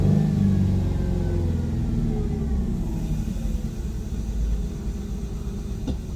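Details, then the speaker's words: 2001 Ford Mustang 3.8 Essex V6 with a P0171 system-lean bank 1 code, after fuel injector replacement: idle hunts and stumbles. A massive vacuum leak from the unseated rear injector hissed audibly, found with carb cleaner. "So, what I had was a massive vacuum leak. The back injector wasn't seated properly. I could hear the air hissing."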